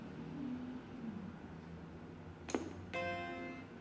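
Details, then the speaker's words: 1989 Macintosh IIcx with intermittent power-on: after power-on, a clean sustained musical chord rings out in a quiet room; the normal startup chime, raising hope it is salvageable. "that's definitely the normal Macintosh to shine there so that gives me even more confidence"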